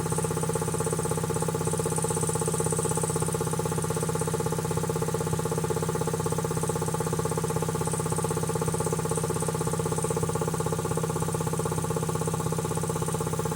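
Steady, even thump about three times a second with a constant pitch and no knocks or rattles: compressor pump running smoothly and healthy.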